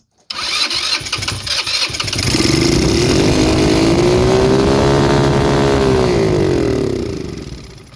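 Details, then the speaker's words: Blade 150 / RZR170-clone UTV, 150cc GY6 shortcase engine, previously seized, started on starting fluid: brief cranking, catches, revs unevenly, holds a few seconds and fades out; runs till out of fuel, owner suspects plugged carburetor or fuel pump. "Alright, well, it runs till it runs out of fuel. Yeah, it shouldn't be too big a deal."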